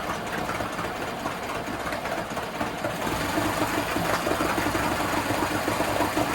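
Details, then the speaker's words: 1980s Honda four-stroke outboard rescued from a dumpster, after fuel line replacement, first run: uneven pulsing that swells and sags, cutting out and surging; owner hopes only a carb cleaning is needed. "But you also heard it cut out and it's I tried to start it again and it's surging."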